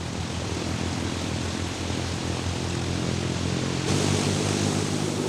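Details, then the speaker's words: Cold-weather (about minus 35) ground run-up of a C-46's 18-cylinder Pratt & Whitney radial after a new magneto was fitted, waiting for temperatures to rise; loud, even propeller drone rises slightly as power comes up without stumbles: normal run-up. "What I'm going to do is I'm going to wait for all my temperatures to come up."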